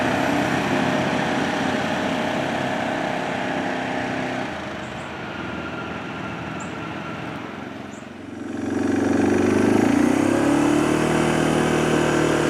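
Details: 2007 Arctic Cat 400 ATV after carburetor cleaning and spark plug replacement: single chugs evenly about four beats a second, a brief dip then steady again; normal, clean idle.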